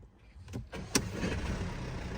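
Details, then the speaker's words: Mercedes diesel after injectors replaced for fault P008791 (fuel pressure too low): quick click, a couple of cranks, catches at once into an even, steady idle with no stumble and no warning light; fixed. "you go, no warning light, and the engine runs smooth as anything."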